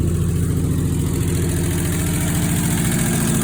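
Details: 1968 Ford F100, not run for 21 years, after a new carburetor, new fuel pump, new fuel tank and fresh gas, starting on the key: steady low idle with an even beat and no misses, knocks or ticks; smooth, healthy idle.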